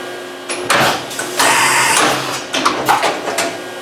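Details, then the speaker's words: Excel CNC mill tool changer after replacing the leaking air cylinder: short air bursts and mechanical clunks as it cycles cleanly through a tool change; slight hiss remains from a line fitting. "you don't damage something that was a good efficient tool change okay there ran through the entire"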